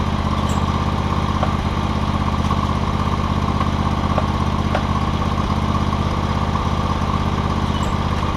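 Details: John Deere X300 lawn tractor after fixing no-spark, running and deck issues (parts listed: ECM, carburetor, deck belt, blades), deck spindles greased; steady, even engine drone, constant low hum, no knocking, surging or grinding; normal running.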